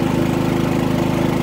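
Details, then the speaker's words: Harbor Freight Predator 3500 W generator, about 25 hours, fresh oil and new plug, running a 15K RV air conditioner at 12.9 A, 1560 W: steady, even drone with a smooth low hum, no hunting or misfire; holds about half load comfortably. "all right now it's running my 15 K air conditioner unit 12.9 amps fifteen hundred and sixty watts"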